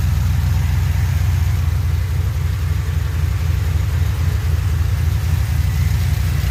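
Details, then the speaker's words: 2007 Pontiac Grand Prix GXP V8, first start-up and idle after sloppy stage 3 cam install with VATS and DOD delete tuned via HP Tuners; deep loping choppy idle, about four pulses a second, "cam sounds so good". Normal idle. "oh that cam sounds so good [Music] I don't know what's going on with that but hey that's major progress"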